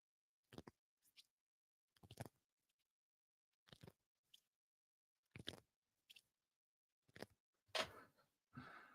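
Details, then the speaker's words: Axial Gilamon RC crawler suspension cycling; short scratchy rasps in bursts about every second and a half as the soft, strongly deforming spring rubs against the side of the shock body. "that sound like Springs or Valentine's Day you guys tell me so that's just you can tell it's the the spring hitting the or like rubbing on the side of the shock body"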